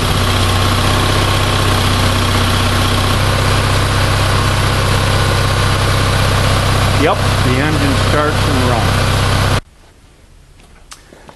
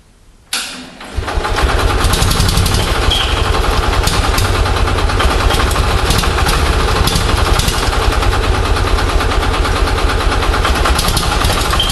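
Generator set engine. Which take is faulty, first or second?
second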